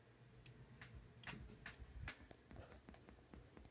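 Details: Creative X-Fi Platinum sound card on Windows 7 64-bit: irregular sharp clicks and pops from desktop speakers, caused by unused inputs like Line In/Mic 2 turned up in the mixer; muting them stops it.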